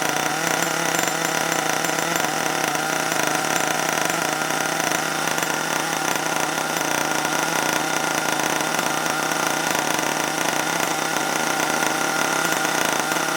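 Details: HPI Savage 21 nitro RC truck revived after being drowned in water, throttle held open: high buzzy two-stroke scream held steady, smooth and even with no misses; running well.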